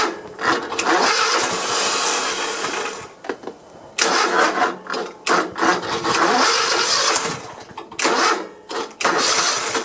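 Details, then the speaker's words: Cub Cadet i1050 zero-turn, Kohler Courage engine left outside for years, with plugs fitted and two-stroke mix sprayed in: starter cranks in repeated bursts, only one weak pop, no start; owner unsure about hydraulic lifters, plans to check valves. "seems like it's it'll get one little bump you hear that but uh i can't remember if this courage series has hydraulic lifters on it"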